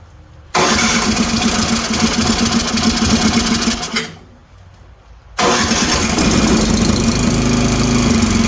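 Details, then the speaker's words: Toro 724 OE 7 hp snowblower single-cylinder engine, started on electric starter, with intermittent compression loss: fast light ticking over the putter; valves far too loose, excessive valve clearance, needs adjusting. "you how much that floating around that's way too loose I don't have the proper tools for me today to do that"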